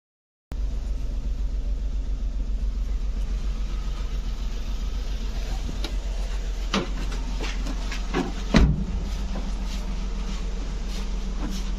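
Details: Maruti Suzuki car left standing for a long time, with rat-chewed wiring and a faulty starter motor, started by feeding positive directly to the starter: catches and settles into a steady low idle with even firing; running normally.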